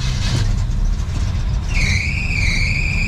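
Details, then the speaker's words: 1974 El Camino V8 idling after overtightened lifters (three to four turns down) were readjusted: deep, even exhaust rumble with no misfire or shaking, plus a thin high squeal midway, possibly the power steering belt. Water pump leaking. "yeah listen to that smooth running V8 I don't hear any misfires no shaking and the exhaust sounds beautiful"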